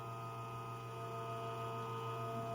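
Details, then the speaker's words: Espresso machine backflush cleaning, continuous and single-shot buttons pressed together; steady low pump hum with a few high whistling tones, even and unbroken, automatic five-time rinse cycle, normal. "The machine automatically rinses itself a total of five times and it keeps continuing the process."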